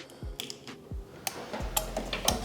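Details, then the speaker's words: Automotive 4-pin relay tested with Electric Finger relay tester, negative and positive leads connected, lighting green: sharp distinct clicks at irregular moments over quiet background, relay snapping in and out cleanly; healthy relay. "You can hear it's testing. When you hear the clicking sound, it means it's testing."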